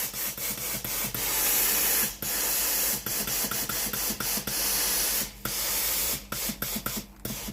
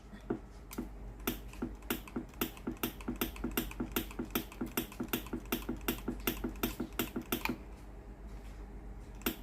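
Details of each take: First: Philips PSG8160 steam iron, boiler system checked and heating, steam button pressed: crisp, strong, even bursts of steam hiss come and go with the trigger. Steam output is normal; the original fault was the boiler heating element. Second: Philips PSG8160 steam iron: valve clicks rapidly and unevenly, almost three a second, with no steam coming out at the soleplate even once ready; boiler does not heat, failed boiler heating element, needing boiler part.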